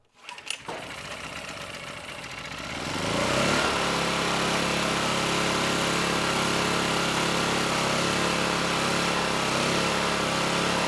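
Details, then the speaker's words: Vintage Kawasaki GA1400A 1200 W generator found in a shed, ignition and low-oil switches disconnected, only coil wire in circuit: catches quickly, climbs to speed and holds a smooth, even note without surging or cutting out; normal running, no airbox fitted. "I'd say that was pretty conclusive the engine kept running just fine"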